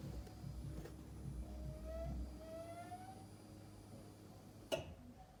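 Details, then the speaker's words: DIY turbo Miata, first start attempt after the turbo build, no coolant in yet, quiet car: faint whir rising in pitch for a couple of seconds, then a click; normal fuel pump priming. "Fuel pump priming. I'm nervous."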